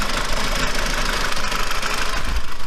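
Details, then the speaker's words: Kia Cerato, 676,087 km, after replacing injector seal rings that were sucking air and causing rough running: even, steady idle with low rumble and no stumbles or shakes; problem fixed, engine running properly. "Так, двигатель стал вообще ровно работать. Нету перебоя никакого уже. Все отлично, можно."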